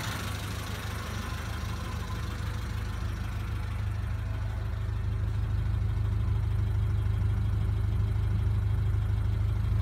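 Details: 1991 Honda Accord after head replacement, zero compression fixed by oiling cylinders (now 60-110 psi): low, regular idle about three beats per second that gradually firms up and stays even; healthy idle.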